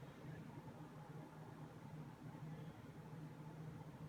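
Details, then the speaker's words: New Fan industrial ceiling fan with stiff bearings being freed up by running, on a solid-state speed control: quiet running with a faint, steady low buzz underneath. A little buzzy but nothing too terrible. "I just want to hear what it sounds like if it makes too much noise or little bit little bit Buzzy but nothing too terrible."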